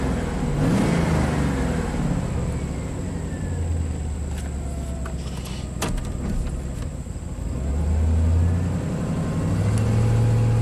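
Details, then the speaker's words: 1998 Chevy Silverado 2500 5.7 L V8 at idle: low idle stumbling with an irregular skip in the exhaust beat, shaking badly at idle yet smooth under load; one cylinder misfiring, very bad spark plug, injector suspected but fuel pressure drop tests normal. "so still got that misfire so under load it's actually pretty smooth but idle man it it really shakes"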